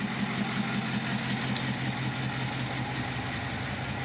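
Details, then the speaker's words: Freshly rebuilt 6.4 Powerstroke diesel in a truck over 10,000 lbs, about 60 miles since build, 117,000 miles on the clock, at startup and idle at 6400 ft elevation: smooth, quiet idle with barely audible diesel rattle, quieter than a new 6.7; normal. "like I say this thing is as quiet or quieter than a new six seven um has almost imperceptible diesel that typical diesel rattle you barely even hear it"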